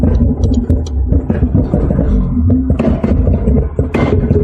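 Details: 1991 Acura Integra LS, 1.8L original engine with 340,000 miles: idles unevenly with a lumpy, irregular beat and occasional stumbles instead of a smooth hum; rough idle, cause unknown.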